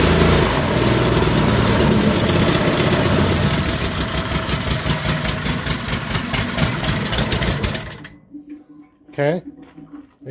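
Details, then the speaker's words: Bobcat skid steer swapped from diesel to Predator 670 22 hp petrol engine with home-made driveshaft, started with choke: rough chugging about four beats a second with churning hydraulic pump noise, then shut off. "hear the Hydraulics making some noise"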